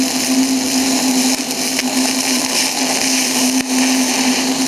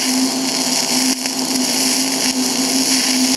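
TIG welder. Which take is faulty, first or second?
second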